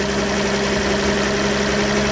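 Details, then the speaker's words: 2005 VW Touareg 3.2 BMV engine, warm, faint knock under steady hum only around 1200–1300 rpm, quiet at idle and higher revs; drive belt removed, not auxiliaries, fuel rail replaced 15,000 km ago; owner suspects cam phasers. "у меня такой предположение что это возвращать ли звук какой-то он так распространяется и он держится только на оборотах 1200 1300 дальше как бы уже не совсем слышно"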